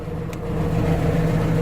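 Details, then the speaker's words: Warm Atomic 4 inboard boat engine idling, pumping cooling water out well, at 40–45 psi oil pressure; a smooth, even low rumble with no misses or knocks. It sounds much better. "oh she just sounds so much better carrying a good 40 45 pounds of oil oil pressure"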